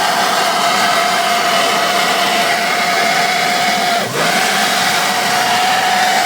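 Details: WJ Grand Cherokee Overland: steady high-pitched screech holds constant over the idling engine; source unknown, possibly a belt or pulley.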